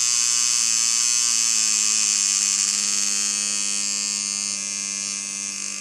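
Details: Dan Kubin Sidewinder V3R tattoo machine with rubber bands on, about 5–7 V, before the fix: a high buzzing whir that wavers, dipping and surging in pitch. Speed inconsistency.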